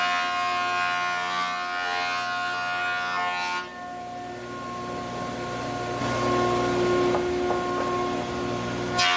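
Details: Large planer donated by a viewer, previously used off-grid to mill sawmill lumber, feeding dry English walnut (swapped from wet Douglas fir) after rollers set just above table flush: steady motor hum with firm, even cutting roar, no knocking or chatter; running properly.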